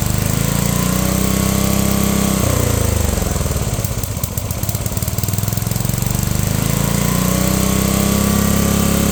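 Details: Unknown-year childhood riding mower/ATV with many miles, throttle set high, in neutral, damp morning: loud busy single-cylinder roar sags briefly then climbs back high, won't settle to low idle; owner suspects governor adjustment needed, unconfirmed.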